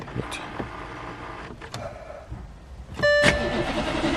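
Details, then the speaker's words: An abandoned VW Touareg V10 TDI with its battery reading 11.98 gives a few clicks and a brief starter whine, then the diesel catches quickly into a firm, steady idle. It starts cleanly, though it later cut out. "that sounded that sounded lovely right"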